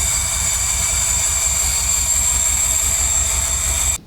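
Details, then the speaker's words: 1957 Chevy with a swapped LS engine, new fuel setup still leaking fuel, low fuel pressure reported while the pressure gauge is unhooked: steady even cranking thumps for about four seconds without catching; a fuel delivery fault is suspected. "telling me low fuel pressure it's still leaking it has no fuel pressure the fuel pressure gauge isn't hooked up"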